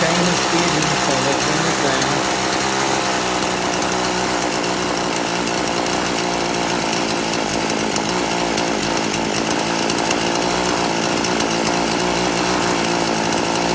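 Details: Poulan Pro chainsaw, carburetor deliberately detuned, low-speed screw at 1.5 turns out: revs rise unevenly and stumble when throttled; low-speed mixture still too lean, needs turning out richer.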